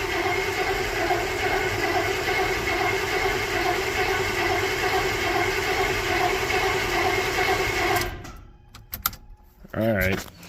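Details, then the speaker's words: 355 small-block Chevy freshly installed in 1985 Chevrolet K20: steady starter churn with rhythmic compression pulses for about eight seconds, no firing; crank no start, possibly no fuel in carburetor bowls yet. "sounds like it needs a little more work see if anything happens"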